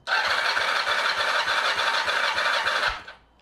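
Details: Kawasaki ZR7 compression test after valve clearance reset: starter whine with even, regular compression pulses about three per second, no weak beats; cylinder 3 reads 12 (was 8), cranking sounds healthy.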